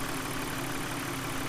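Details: BMW E46 323 with M52TU/M54 petrol six idling smoothly and evenly with a steady hum, no misfire, after replacing a bad CCV/PCV system that had caused vacuum leaks and codes P0171, P0174, P0300.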